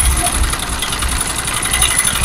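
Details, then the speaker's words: Honda CD 70 (2020 model) at idle: light, fast metallic ticking over the small single's idle from a loose, worn timing chain, fixed by replacing the timing chain set. "ये जो आवाज थी ये थी timing चैन की"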